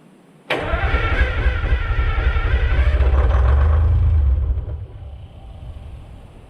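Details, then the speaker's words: American 25 excavator diesel, boosted with Group 31 batteries, cranks and catches with a deep rough roar for about four seconds on starting fluid (laughing gas), then dies; not running on diesel, fuel likely not reaching motor; oil pressure rose fine. "That sounded promising, but that was just on the laughing gas. It is not actually running on diesel fuel."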